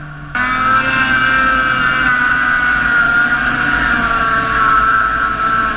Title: Etec 800 Misfire